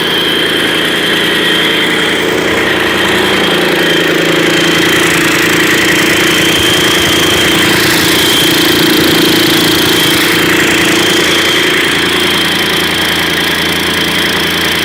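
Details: Mercedes-Benz OM 502 diesel after major overhaul, first start: firm, steady idle with constant rhythm, no knocks or hunting; sounds healthy.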